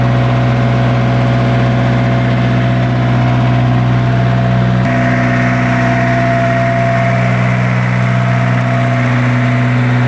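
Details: Isuzu diesel generator engine after its hard-starting problem was fixed. A deep, even diesel rumble that holds steady, with a small step up in speed partway. It idles normally.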